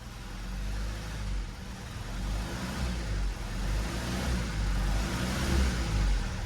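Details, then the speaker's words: 2016 Mazda 3 2.2 Skyactiv diesel running very rough and shuddering, won't rev, multiple warning lights on; uneven lumpy stumbling idle, misfire on several cylinders. "she won't won't rev we check engine lights it's actually shuttering like crazy there"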